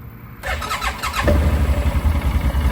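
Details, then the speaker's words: 2009 Arctic Cat 1000 quad, starting up after spark plug work: starter whirs briefly, engine catches within a second and settles into an even, steady low thump; clean, healthy start. "Starts up super nice. There you go."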